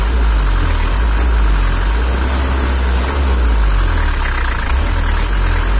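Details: Toyota Hiace LH11 diesel (2L) after adjustment, with lighter, more responsive throttle: deep, even rumble holding one steady beat with no knocks or misses, idling smoothly and set right.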